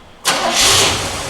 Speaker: Starts right up. There it goes. Sweet.